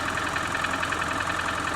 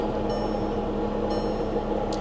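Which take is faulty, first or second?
second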